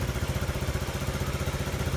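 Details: Engine at idle after carbon cleaning: fast regular clatter about thirteen ticks a second over the idle beat; cleaned-off carbon shifted valve position, so valve rocker clearance needs readjusting.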